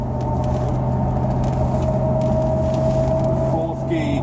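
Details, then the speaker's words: 1996 Range Rover, 4.0L petrol, 4HP24 four-speed automatic, road test: steady mid-pitched whine over road and engine noise from about 40 km/h, constant at 40–50 km/h under load, not coasting; gear whine, transmission or differential suspected. "here just the noise just starts to come in at about 40 kilometers an hour so if I just try and maintain 40 50 kilometers an hour sort of under load not coasting the noise is there all the time"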